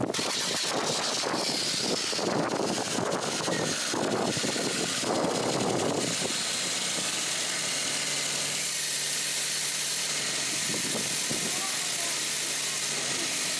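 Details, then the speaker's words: 1993 Toyota Corolla after V-belt replacement including alternator belt, previously very squeaky: engine fires and settles into a steady, even idle with no belt squeal or chirp; healthy. "That's much better. Much, much better. It works."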